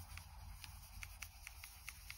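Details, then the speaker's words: Lenovo ThinkPad X1 Nano trackpad: faint, short high squeaks at an uneven pace with each press, without a click, from slight fitting issues on this unit; trackpad squeak from poor fit. "not actually clicking on anything you can hear strange squeaking noise coming through"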